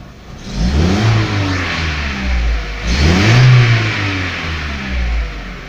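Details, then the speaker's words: VW Jetta Mk4 2.0 after a misfire, running with substitute Chevy spark plug wires: two clean throttle blips rise and fall smoothly and idle stabilizes; normal revving. "Vean, ya se estabilizó. Le aceleramos, vean, le aceleró. Luego le aceleró y responde, vean."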